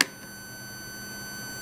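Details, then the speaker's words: Sansui SE-9 graphic equalizer repair: continuity tester on switch contact pairs gives a clean steady beep, most contacts conducting well; only two switches need cleaning. "I need to check each pair of contacts Fortunately, most of the contacts are leading"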